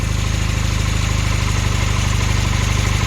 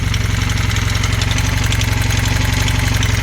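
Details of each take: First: Honda Hondamatic 400 revived after 20+ years, after freeing a stuck valve: steady even low putter with no ticking or knocking, idling quietly; valve adjustment still needed, occasional exhaust-valve pop noted. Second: Honda Hondamatic 400 first start after 20+ years sitting, oil pressure present: sharp steady knocking about four per second from up top; rocker arm or lifter suspected, sticky valves, fading as it warms.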